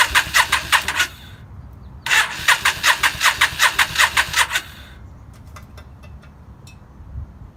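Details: 2003 Yamaha V-Star 650 with single Keihin butterfly carb, only fires on starting fluid: two bursts of steady starter cranking at about 158 compressions a minute and the engine never catches, crank no start.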